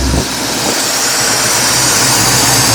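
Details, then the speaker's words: 1983 Chevy C10 after power steering pump/pulley replacement and belt tightening: the engine revs up smoothly with a steady rumble and the earlier squeak is gone; the fix worked. "we're gonna Rev on to see if we still get that old squeaky noise [Music] hi Manzo that fixed it"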